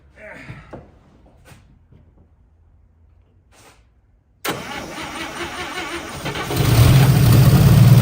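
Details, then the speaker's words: 1955 Chevy parked for about 40 years, first start attempt with fuel rigged up and primed: after a pause the starter cranks at about four beats a second and it briefly fires louder but won't run; the fuel pump is not pumping. "no I hear the fuel pump is fuel pumps not pumping that's a shame"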